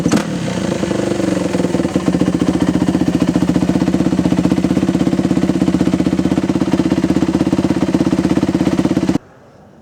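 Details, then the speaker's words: Yamaha YZ426F single-cylinder four-stroke dirt bike, bought not running, running after the carburetor needle seat was refitted with a thicker O-ring; steady, even fast idle with a clean rhythmic beat until shutoff; running properly. "there's some evidence that it actually runs."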